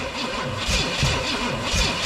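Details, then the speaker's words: 1969 Pontiac GTO, apparently a Pontiac 350, sitting in a barn over 35 years, carburetor bowl emptying: starter cranking with a few uneven, weak firing bursts that never catch; owner suspects utter lack of compression, not confirmed. "It's definitely hitting harder. Now, it's just, I don't know, the utter lack of compression."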